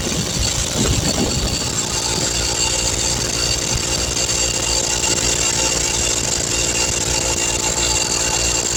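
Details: 20-gallon Husky air compressor after repair of a rattling failure: steady, even mechanical clatter with a constant motor pitch and no knocking or squealing as it builds air pressure normally.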